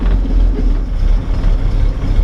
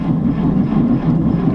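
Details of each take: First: 1949 Chevy 3100 with 216 Babbitt six on a 6-volt battery, just started on a cold January night, choke pushed partly in, oil pressure good at about 30. Soft, even, low purr with no knocks or misses: normal idle. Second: 1949 Chevy 3100 on a 6-volt battery, choked cold start on a January winter night. Labored, slow, uneven cranking with no firing yet, as the weak 6-volt starter drags the cold engine: slow cranking in cold weather.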